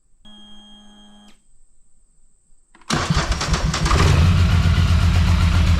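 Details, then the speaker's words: Polaris Sportsman 850 XP ATV traded for broken down: short crank, then it catches and chugs lumpy and uneven with a heavy low thump, smoking a lot and no response to throttle; rough running, cause not yet found. "you hear that it runs but she's not running well and she does smoke quite a bit whether the camera picks that out or not"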